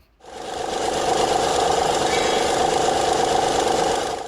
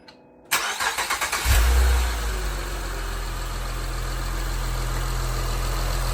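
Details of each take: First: 2006 Honda Legend KB1 with J35 V6 engine rattle before a timing belt and water pump kit replacement: a busy, chattering rattle about three to four times a second over a steady run, possibly from the timing belt area. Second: 2006 Honda Legend KB1, J35 V6, after timing belt kit and water pump replacement: quick cranking catches at once into a smooth even idle, no more loud rattling; normal start and idle.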